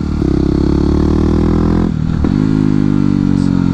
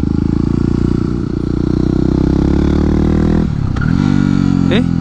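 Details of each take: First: Yamaha WR250X supermoto single, no slipper clutch: steady thump, quick rev-match blip on downshift, then clean even pull with no rear tire screech; smooth rev-matched downshift. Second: Yamaha WR250X supermoto without a slipper clutch, downshifting quickly without a throttle blip: the single-cylinder drone dips and the rear tire chirps and chatters, skipping as the clutch is released.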